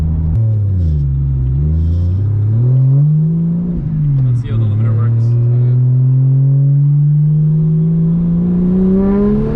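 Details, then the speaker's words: BMW 335i revving against an aftermarket limiter: revs sweep up and down, note turns uneven and stuttery near the top; owner suspects old questionable ignition coils or spark issue. "i mean these are old random questionable coils that i grabbed and grabbed a handful of it sounds like a coil issue right oh for sure"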